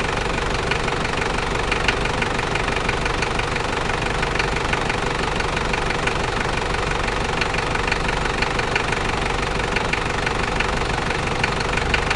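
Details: New 1KZ-T diesel engine idling: a sharp, fairly regular knock about twice a second rides over the clatter. Engine knocking at idle, source not pinned down.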